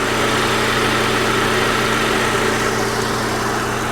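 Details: Saab 9-3 Turbo after a Liqui Moly 2037 engine flush for low oil pressure and tapping, mic held close to the engine: quiet, smooth, steady idle with no ticking or tapping. Normal idle, engine running well.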